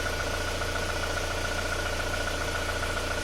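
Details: Before repair of a 2001 Isuzu Panther diesel with blow-by, heavy smoke and a rough piston noise; compression read 23 bar. Rough idle with a dull knock about three or four times a second, from worn, loose pistons. Piston slap; later fixed with new pistons and rings.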